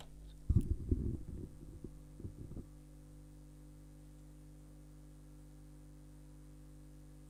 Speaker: you hear it that buzzing is the chopper for the DC so if you put it on DC um response rectifier response it engages the electromechanical chopper